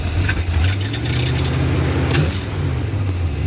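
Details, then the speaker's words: 1977 Dodge motor home with 440 V8, revived after sitting for years, running about 10 minutes: steady low even rumble at idle with a couple of brief clicks, no misses or knocking; normal idle. "nice it's been running for a little while now about 10 minutes actually sounds pretty good"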